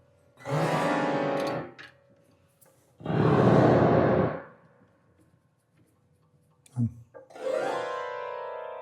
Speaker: Pressing the pedal down, and I find the damper are sitting too high. I have to lower it a little. They are not damping